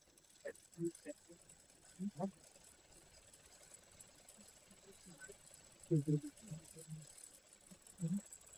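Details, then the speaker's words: Sewing machine making excess noise, oiled and then run backwards to expel trapped thread and debris; loud irregular dry clattering in reverse, and afterwards the noise is gone when run forward. "अभी देखिएगा उल्टा चलाने पे कितना तेज आवाज करेगा। देखिए उल्टा चलाने का यह आवाज है।"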